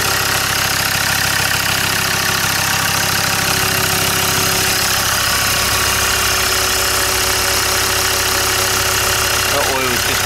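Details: Land Rover Discovery 2 diesel after injector loom replacement. A steady idle clatter with an even rhythm and no stumble or skipped beats, firing on all cylinders. Definitely no misfire: normal idle.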